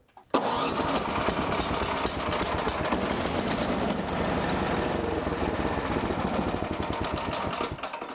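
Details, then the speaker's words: Snowblower electric starter after retightening its loose 1/4-20 SAE mounting bolts: smooth cranking with no grinding, then the small engine fires and holds an even beat. No tooth damage was found on the starter gear. "que funciona perfecto ahora, simplemente le daré la vuelta sin arrancarlo ahora para que el motor de arranque se agarre como debería, no hay ningún rechinar ahora"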